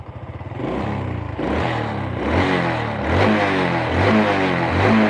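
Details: Honda Supra 125 motorcycle that slipped, was hard to start in the morning, smoked and crackled, after cleaning: repeated throttle blips rise and fall cleanly with no sputter or misfire; healthy revving.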